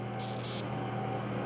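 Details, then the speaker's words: K40 laser cutter on test fire: steady mains hum with a brief high-pitched buzz from the power supply, drawing 156 A on AC; power reaches the laser tube, but the tube is broken. "it get gets up you hear that buzzing in the actual unit that's 156 amps so we know it's getting some power to the tube it's just the tube isn't uh it's definitely broken"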